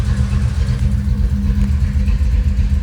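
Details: 1990 Pontiac 6000 SE AWD after 20+ years sitting, intake gaskets not replaced, warming up with oil pressure and charging: deep, uneven, lumpy hunting idle; vacuum leak, lower intake gaskets to be replaced.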